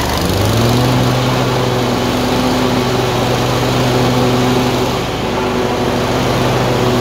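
Small twin running with an uneven, wandering beat and slight rise and fall in speed; it's surging and missing intermittently.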